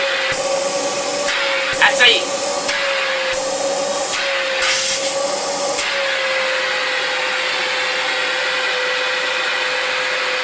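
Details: Electrolux Epic 8000 vacuum (1997–98) after a broken motor bearing was fixed by fitting a generic replacement motor: a few handling knocks, then steady even motor hum with clean airflow rush; normal running after repair.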